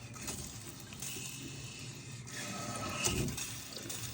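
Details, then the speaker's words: Toilet that had stopped flushing water keeps making a constant hiss and trickle, as if still releasing water. The rubber flapper is not sealing and is most likely damaged; the fix is a replacement flapper/fill kit. "Este toilet ya paró de botar el agua, pero tiene un sonido, no sé si se alcanza a escuchar el sonido, como que estuviera tirando agua. La barbudita que es de goma no está sellando bien hoy, ¿verdad?"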